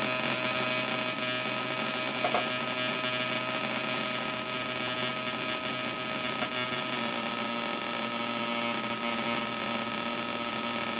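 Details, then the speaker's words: Homemade 555-timer Atari Punk Console on 9 V through PC speakers: dense harsh buzz over the synth tones instead of one solid tone; owner unsure of the cause. "see I'm getting all that weird buzzing noise like you should be getting that when you turn it up to here cuz the pulses are getting pulled apart"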